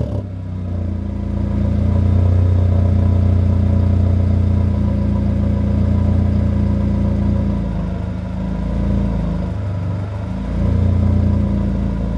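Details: 1997 Honda Accord, warmed up, after replacing the burnt, blown-out exhaust flange gasket and re-bolting the headers: engine revs up smoothly from idle and settles back, a steady even note with no ticking or puffing; exhaust leak fixed, sounds healthy.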